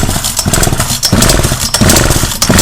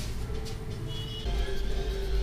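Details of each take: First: Partner P340S two-stroke chainsaw, carburettor screws turned by owner, muffler and cylinder flooded with petrol: surges and sags about every two-thirds of a second, never holding steady revs; carburettor out of adjustment. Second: Partner P340S chainsaw after carburetor rebuild and new spark plug, previously flooded with fuel in the piston and muffler and would not start: steady, even two-stroke idle with no misses or surging; normal idle.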